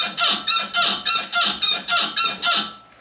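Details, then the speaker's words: Car suspension gives sharp rubbing squeaks, about three a second, as it rocks; chassis sound clamps traced it to the worn ball joint on the strut's lower bracket, and the fix is replacing the whole lower control arm. "the strut Tower is connected to a little bracket that metal bracket at the bottom has a ball joint that connects to your lower control arm allowing that strut to flex that ball joint is what's making our noise"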